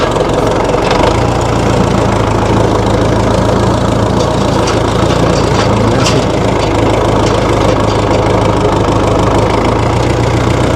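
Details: 1960 Massey Ferguson FE35 tractor, 4-cylinder diesel, after sitting unused in a paddock for a long time: settles into a steady, even low chug at idle, clattering but smooth with no misses; running normally.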